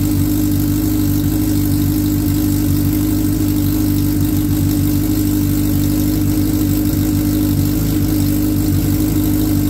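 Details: 2003 Suzuki Hayabusa on first start during repair, airbox off and intake air temperature sensor left dangling: smooth, even idle with a steady low hum and no knocks or misses; runs cleanly. The oil light goes off right after key-on.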